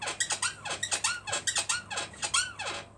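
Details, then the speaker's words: Motorcycle with its rear lifted, rear pushed repeatedly after spraying GT85. A high, creaky squeak about one and a half times per second; the owner first thought it was at the bottom, now it seems near the upper seat area. Rear shock/suspension squeak. "Sounds like it's coming from the upper seat area now. Yeah, it certainly sounds open now."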